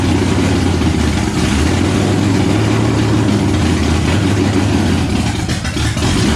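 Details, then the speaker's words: Stroker Windsor V8 in a Fox Body, first start after install: loud rumble that wavers and sags, dipping near the end as if about to stall; idle won't hold steady without throttle babysitting. "it still wants to be babysat a little bit on the frontal it doesn't really want to idle we got a little some few things to figure out"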